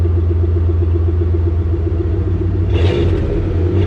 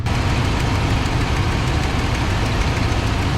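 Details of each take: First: 1995 Ford F-150, cold engine just started with exhaust vented outside via hose, during throttle position sensor replacement; rumbling idle then quick revs with a leaky exhaust puff under the muffled note: exhaust leak. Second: 1995 Ford F-150 after throttle position sensor replacement, cold start in the shop with exhaust vented outside: deep steady rumble, idle comes down and settles with no surging or hunting; an exhaust leak is also heard.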